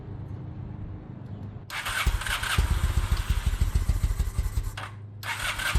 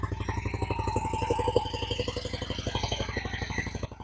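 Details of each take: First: 2000 Honda Shadow ACE 750 V-twin, stored with old fuel, now running from a fresh tank with the petcock on and choke out: engine barely holds on, catching only with repeated throttle blips and sagging between them; fuel starvation from old fuel in the carbs, not a spark issue. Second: 2000 Honda Shadow ACE 750 V-twin after flushing old gas and refilling carbs with fresh fuel: steady four-pulse-a-second idle that picked up by itself, no misses, smooth throttle pickup.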